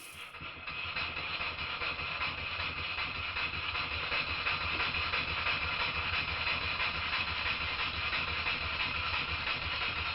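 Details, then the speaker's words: Stuart Models No. 10V model steam engine, previously a non-runner, after repair with slight crankshaft end float considered common and not a problem; a quick, fairly even chuff of about three beats a second with a hissy airy tone, running smoothly. "but having said that it runs okay there's a bit of end to end float on the crankshaft but this is not a big problem and it's very common in most steam engines"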